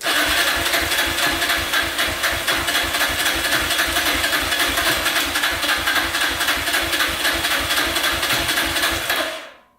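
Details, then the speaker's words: Yamaha Raptor 660R single cranking slowly and evenly during a compression test, never speeding up or catching; the jump pack is nearly dead and too weak to spin it fast enough for a correct reading. "so same reading the the charging thing isn't really working it's still cranking over at the same same speed so we're gonna give it a little bit and then try it again but um it should be faster"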